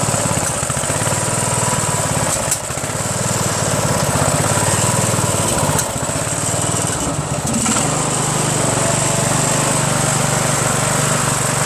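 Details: 1996 Craftsman LT1000 lawn tractor, 15.5HP Briggs & Stratton, after governor reset, throttle linkage and fuel mixture screw tuning and refitting the original cleaned magneto: fast steady beat with brief dips and note changes; runs better but still hesitates at high throttle.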